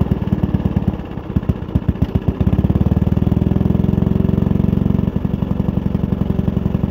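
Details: Suffolk Demon with a 75 G 14 motor, first start after a month of work and waiting for parts: small single-cylinder engine fires, stumbles briefly, then settles into a quick, even, steady thumping beat; runs fine.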